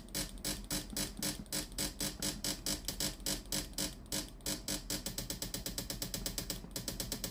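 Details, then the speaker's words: Philips steam iron model AIS8540/80, customer reports no steam but the unit powers on normally. With the iron heated and ready and the water button pressed, fast even pump ticks about eight a second are heard, yet no steam comes out. The water pump is failing and needs replacing. "ลองกดปุ่มจ่ายน้ำดูมีเสียงปั๊มน้ำทำงานนะครับไม่มีไอน้ำออกมาที่ฮีตเตอร์ด้านหน้าของเตารีดนะครับ"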